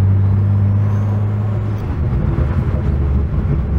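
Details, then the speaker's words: 2011 BMW E90 xDrive with rebuilt low-mileage N55, Stage 2 turbo and 8HP45X transmission swap, after solving a crank-no-start; smooth, even engine drone into road rumble while driving, transmission still learning; normal running engine. "sounds pretty good we're going to take a slightly uh longer detour sorry aie that was [Music] awesome oh oh it sounds so good"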